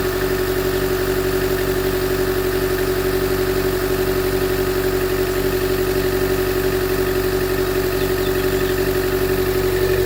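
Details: 2013 Chevy Volt at idle: steady tone with a regular pulsing lope about a hundred a minute; misfire with P0101, poor power above 70 mph and shutdowns, persisting after MAF, plugs and coil pack replacement; cause unknown.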